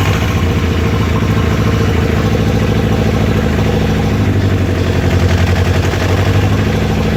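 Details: Toyota 22R-TE engine misfiring at idle: uneven, loping idle with periodic stumbles, sounding like one cylinder intermittently dropping out.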